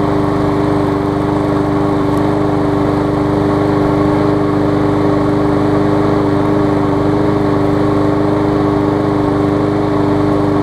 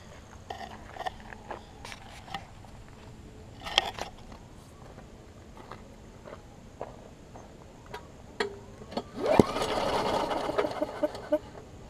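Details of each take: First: New 2013 Murray push mower after removing a hard piece of rubber stuck in the intake valve that had caused lost compression: smooth, constant buzz at steady speed, no stumbling or surging, now running great. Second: New 2013 Murray push mower that hit a couple of times on first start, then lost compression. On two quick pulls the engine spins freely with no compression, just a weak sputter and spit. A hard piece of rubber was stuck in the intake valve, holding it open.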